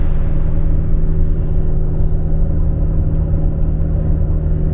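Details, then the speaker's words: Fiat Ducato camper van driving: heavy steady low rumble and roar, missing normal boost note; turbo air intake boot blew off again after a large clamp had been fitted; detached turbo intake hose. "Donc ce gros bruit là, c'est le capuchon d'air du turbo, hein. C'est pas la première fois qu'il nous le fait."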